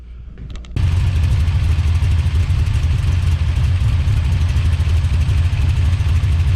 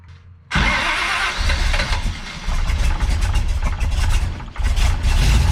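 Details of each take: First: Big-cam big-block Chevy with a rebuilt Holley 750 double pumper, after carb and timing tuning, cooling fan rigged to run: catches and settles into a strong, steady, even low rumble with no misses; normal idle, best it has run in a while. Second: Big-cam big-block Chevy with a rebuilt Holley 750 double pumper, after fuel pressure was built up: fires, then idles with a loping, uneven chop and surging level; large cam overlap gives low vacuum, poor carburetor airflow. Rough idle.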